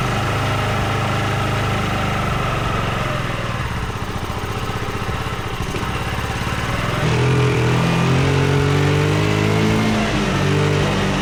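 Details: Yamaha Riva 125 single-cylinder scooter running on a Yamaha Vino carburetor after wiring fixes: steady even putter at idle, rising slightly with part throttle; runs fine, but not charging, about 11.6 V at mid throttle.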